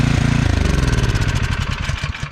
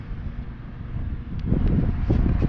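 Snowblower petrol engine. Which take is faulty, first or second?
second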